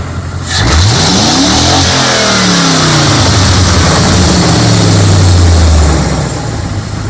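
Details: Jeep 4.7 V8 salvage engine, poor cold start, after new spark plugs and higher-output ignition coils: engine climbs cleanly from idle to about 5000 RPM and drops back evenly, no stumble or miss.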